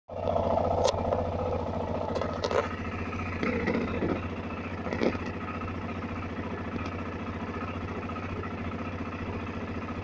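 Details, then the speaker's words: BMW F650CS motorcycle, first start after throttle body cleaning, cold: fast steady putter at raised idle about 2000 rpm while warming, no misfire; normal cold fast idle. "когда только запустил, обороты были 2000. Сейчас начнет прогреваться."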